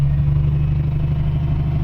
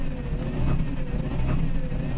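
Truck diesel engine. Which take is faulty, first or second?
second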